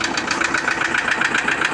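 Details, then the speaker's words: Toyota Innova diesel at idle and when revved: sharp, even tek-tek knock around six or seven beats a second, loudest low in the block; oil pressure and warning lights are normal and oil is leaking; the knock is suspected to be bearing metal, not confirmed. "Nah, kita dengerin nih teman suara mesin bunyi tek tek tek tek tek tek tek ini teman ya. Tuh, coba kita gas. Nah, kedengaran teman ya. Jadi suaranya kayak mukul-mukul gitu, Teman ya."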